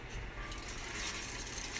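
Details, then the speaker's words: Nissan QR25 engine rebuild: dense, gritty rattling of loose debris tumbling inside the 4-foot exhaust section after the cat flex pipe as it is shaken. "know if you can hear that on video or not but you hear a lot of rattling around in there like ghosts are so shaking a little bit"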